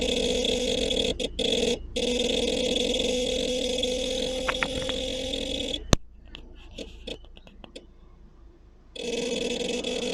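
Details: Seat Alhambra with engine on, moving or parked: loud steady droning growl with whiny edge from the rear, cutting out briefly then returning; sometimes starts minutes after startup, sometimes seconds; cause unknown.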